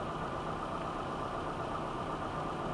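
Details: 1995 Nissan Altima 2.4L, which had stalling and no-start, idling after a used distributor was fitted; cam and crank signals tested good at the distributor. Quiet, smooth idle holding one steady speed without dips or stalling. Normal idle.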